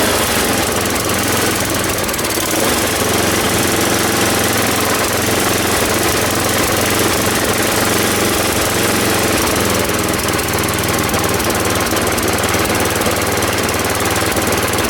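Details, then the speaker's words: Ariens 824 snow blower, Tecumseh HMSK80, after cleaning jets and replacing float bowl and gasket for surging, suspected air leak at old gasket: low steady idle, no hunting or surging, even chatter; normal idle after repair. "And now it doesn't surge anymore. I don't have to run it high, and I can idle it at a low speed now without it conking out."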